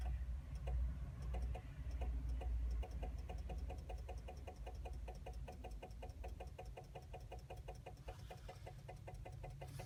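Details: 2000 Chevrolet Blazer, no crank no start: rapid steady clicking with erratic dash lights and no engine turnover; cause was a rusted battery ground connection, fixed by cleaning it.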